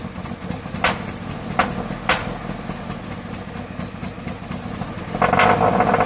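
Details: Subaru BRZ at low idle with an uneven beat, about four pulses a second and occasional sharp snaps; engine misfire, cause unknown.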